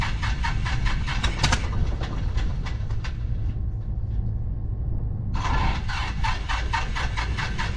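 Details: 1974 Piper PA28-151 Warrior cranks in steady repeated beats, pauses, cranks again but never catches; hard no-start, blamed on bad magneto.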